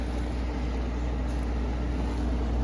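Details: Carrier UC series 5,000 BTU slide-out air conditioner with a Tecumseh rotary compressor on low cool (medium fan leg moved to low), air already cold. Constant low hum with a steady fan rush and no rattles, squeals or cycling: normal operation.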